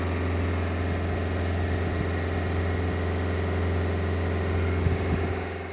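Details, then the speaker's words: Automatic Renault Clio diesel during a forced DPF regeneration: engine automatically raises revs to a steady, slightly lifted idle hum with no hunting or knocks while the test runs (may take up to 50 minutes); raised idle during regen. "looks like it's going to do it guys you can hear it's automatically raising the revs of the engine while it's doing the test"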